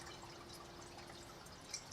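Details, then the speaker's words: Reef aquarium sump, filter-sock silencers back in place: only a soft, even trickle with faint drips and no splashing. Quieter, under 50 dB and at most about 51 dB. "and this is definitely quieter as it drops down under 50 D sometimes hitting 51 but I think that is the max"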